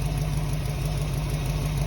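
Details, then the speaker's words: 1968 Ford Mustang V8 just fitted with a correct distributor and coil replacing HEI, test-fired before timing set: deep, even idle burble with a steady pulse and slight exhaust kick, no misfire; idling properly. "test fired it running sounds good got a little exhaust kick you can probably hear that"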